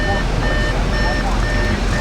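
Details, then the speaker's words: Audi at an auction, with the door open: a steady high chime repeats about twice a second over a low idle hum. It is the door-open warning. "Auto why are we beeping because the doors open"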